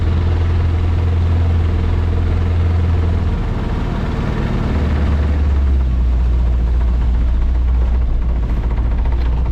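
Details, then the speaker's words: Outboard on a $700 auction boat held wide open on the lake to try to clear it: deep drone surging and dipping, running rough; it isn't clearing up, and the owner suspects it needs some adjustment. "Well, let's just hold it wide open here for a minute and see if that clears anything up. So far it's not really doing a whole lot."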